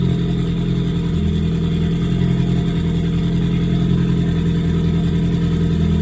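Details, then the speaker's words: Ford Focus idle with an irregular stumble breaking the rhythm; scan tool shows misfire count six, misfire detected cylinder three, after recent spark plug and fuel injector replacement; timing suspected off, not confirmed. "So is she misfiring? Really? So, we have a misfire detected cylinder three."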